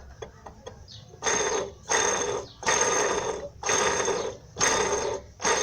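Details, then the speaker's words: 2002 Fiat Palio Fire 1.0 8-valve, engine grinding complaint: removed timing belt tensioner spun by hand gives a dry, gritty rumble in repeated bursts about one a second with audible play; worn tensioner bearing. "barulho no tensor já tá até fora aqui seu tensor estica a correia dentada muita atenção com isso aí tá galera"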